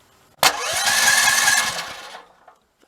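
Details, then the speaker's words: Generator at 1–2 °C cranked with the electric start button after six failed remote-start attempts; starter churns at about four beats a second for under two seconds and never catches; owner suspects the electric start; cranks but no start. "Put the choke on. Maybe it does not want to start. This is not good."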